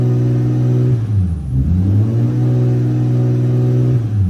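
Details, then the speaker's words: Toyota VVTi 2JZ-GTE after throttle delete conversion, warming up, target idle 650-700 rpm: steady raised hum around 2,000 rpm with brief dips, idle won't settle; resistance test showed failed throttle position sensor. "So, as you can tell, the engine is basically revving to 2,000 revs and will not come down. Um, so I did a resistance test on the TPS sensor. It turns out the TPS sensor had gone."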